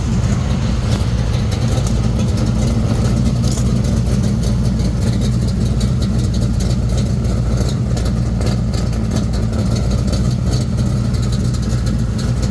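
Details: 1979 Monte Carlo at idle just after a new exhaust was fitted at the muffler shop. A deep, even burble and steady low throb with no ticks, knocks or exhaust leaks; the engine still runs fine and sounds healthy.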